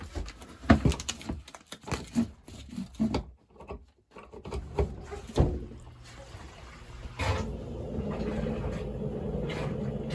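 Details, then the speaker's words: Basement sewage ejector pump below the floor, pumping bathroom sewage to the sewer line: clunks and knocks, then a steady low motor hum that never cuts out; pump runs continuously, float switch to be replaced. "What we're getting right now is the pump continuously running."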